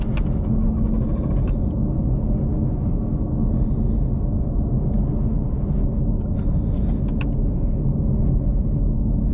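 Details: Ford Mustang GT350R on test tune, wrench light on: heavy lumpy exhaust rumble, no even beat, running on like 3 cylinders; throttle body codes, owner suspects crank sensor; tuner says it was fail-safe mode, fine after clearing codes.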